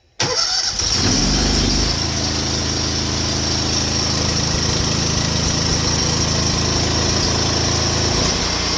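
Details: Honda GX690 pressure-washer engine driving a General Pump 8 GPM triplex plunger pump, test run after engine and pump oil change, choke opened: pulls over, catches at once, settles to steady even run without misses or knocks; normal start and run.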